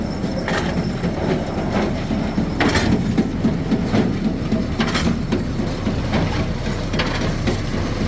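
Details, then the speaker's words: Old square hay baler run from the tractor after greasing, new rear panel, pickup guards and lubed chains: low steady rumble with quick, even clatter three to four times a second; empty baler runs smooth and regular. "I'm going to show you again I was making a uh a reel it is working great already looved up the chains but everything looks to be good"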